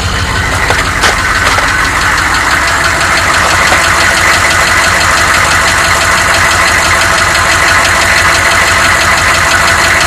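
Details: 1993 Chevy dually 6.5L turbo diesel 4x4, cold start without block heater then revving: loud rough idle with uneven knocking pulses over the clatter, heaviest in first seconds; engine knock, cause not pinned down.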